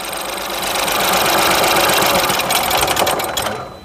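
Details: Ford EcoSport EcoBoost 3-cylinder petrol with check engine light idles rough with a chattering pulse about four a second and whole-car vibration; two cylinders weak, ignition coils and wiring check fine; cause found was a broken piston.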